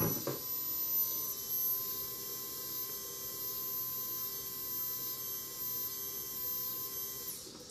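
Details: 2008 Kawasaki Vulcan 1600 fuel pump bench-tested on 12 V DC outside the bike, comparing the stock pump and a Quantum replacement: a faint, steady hum with a thin high whine. It runs smoothly; the comparison was inconclusive.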